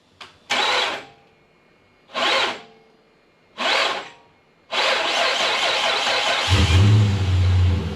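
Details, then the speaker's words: 2006 Dodge Magnum AWD 5.7 L Hemi with good battery and tested cables: three short harsh whirring starter bursts that never catch, then a longer rough grinding spin; failing starter with worn bearing, replaced. "If your starter sounds like that, and you've got a good battery, and you've tested your positive and negative cables running from the battery up to the starter, and from the engine to the chassis, and the chassis to the battery, chances are you've got a bad starter like us."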